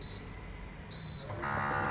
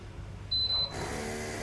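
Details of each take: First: Bolde Smart Fountain Expresso digital water dispenser on 220 V after replacing the mini water pump: two beeps, then soft, steady, even pump hum; water flows immediately, pump healthy. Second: Bolde Smart Fountain Expresso digital water dispenser, cooling-side mini water pump: a short beep, then a harsh, steady loud buzzing hum; the pump motor is worn and noisy, and both mini pumps need replacing.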